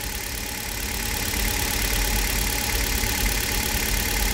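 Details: Warm Hyundai Solaris, 2 °C outside after sitting overnight, idling after oil change to Toyota oil; smooth even hum, no knock, earlier cold knock on throttle release.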